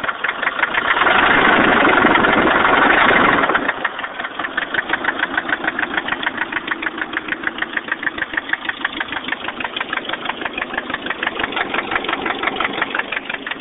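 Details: 1989 Nissan 240SX KA24E, head rebuilt recently after overheating: petrol idle with a sharp, steady knock about three beats a second; owner unsure if rod knock or lifters needing bleeding.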